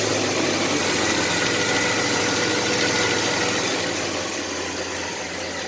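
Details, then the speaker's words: 1985 Chevy S10 with newly swapped 2.8 V6, running after engine swap, no smoke: steady, even idle with constant low hum, no knocks or ticks; exhaust smooth, engine running healthy. "the exhaust sounds pretty good it's pretty smooth"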